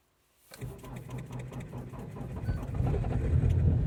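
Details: Ford Focus 2.0 TDCi diesel cold start after a night at -18 to -24 °C: slow labored cranking about three beats a second, gradually picking up and rumbling louder; hard cold start.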